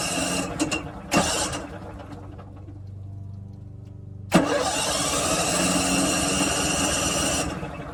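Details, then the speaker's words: RV generator, long unused, cranked after installing new batteries: the starter churns in a steady rhythm of about three to four turns a second, but the engine never catches; cranks but will not start. "there that's the good news is that it's turning over it's not starting it's been a while since thing started [Music] okay can't seem to get it started but at least it's turning over"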